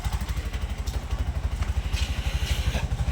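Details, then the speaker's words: Bajaj CNG BS6 single-plug engine after idle cable adjustment: steady single-cylinder thump about three beats a second, even with no hunting or stalling; idle now holds correctly with no sensor fitted. "ಆ ಗಾಡಿ ಹೈಡ್ಲಿಂಗಲ್ಲಿ ಇದೆ, ಏನೂ ಮಾಡಿಲ್ಲ, ಯಾವುದು sensor ಹಾಕಿಲ್ಲ, ಏನೂ ಹಾಕಿಲ್ಲ. ಹೈಡ್ಲಿಂಗ್ ಕರೆಕ್ಟಾಗಿ ನಿಂತ್ಕೊಳ್ತಾ ಇದೆ."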